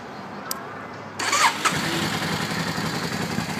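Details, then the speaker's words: 2003 Yamaha V-Star Classic touring motorcycle, 25,000 miles, started in neutral; brief starter whirr, catches at once and settles into an even, loping V-twin idle, a healthy start on a well-maintained bike. "It starts right up. Idles nicely."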